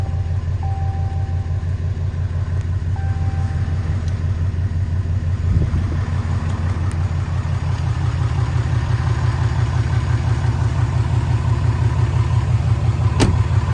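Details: 2016 RAM 2500 Mega Cab 4x4 diesel, 36,737 miles, idling after oil and oil filter change: steady clatter of about three beats a second, even and regular with no knock or miss.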